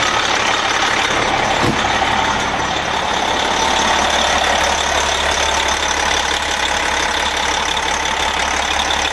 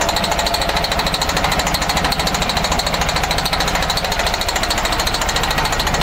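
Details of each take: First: MCI coach with a Detroit Diesel S60 DDEC6 (425hp at 2100rpm) idles steadily and evenly on all 6 cylinders after an external engine wiring harness repair. It was previously running on 3 cylinders. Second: MCI coach with a Detroit Diesel Series 60 DDEC6 (425hp) hammers roughly at idle on only three of six cylinders; the cause was the external engine wiring harness, and after repair it ran on all six.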